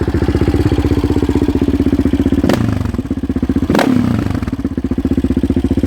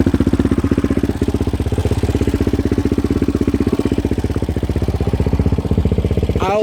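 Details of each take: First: 2016 Yamaha Raptor 700 SE single with 11.1 compression piston and Hot Cam stage 3, exhaust at idle with throttle stabs: loud, choppy idle, hesitating on the second blip; it is running a little rich and needs more auto-tuning. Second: 2016 Yamaha Raptor 700 SE single with 11.1 compression piston and Hot Cam stage 3, idling, phone mic close to the engine: fast, even ticking about four per second over the steady idle; normal valve clatter, checked by the owner and others.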